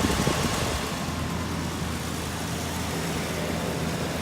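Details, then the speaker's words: Warmed-up Ford Sport Trac engine at idle after an oil change, with a rough, rapid chattering rattle from the accessory belt side at about four flutters a second plus a slight tick on the other side; owner suspects belt chatter and lifter tick. "the belt chatter in this side [Music] a little bit of the tick on this side too"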